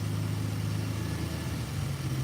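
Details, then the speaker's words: 1986 Chevrolet C10 4.3L V6 TBI after new injectors: idle drifts, its pitch sagging and climbing instead of holding steady. The owner suspects the idle needs readjusting and relearning, since it was set with the bad injectors. "y'all hear that? that little that little floating in RPM. I I'm pretty sure that's probably the A needs to be readjusted"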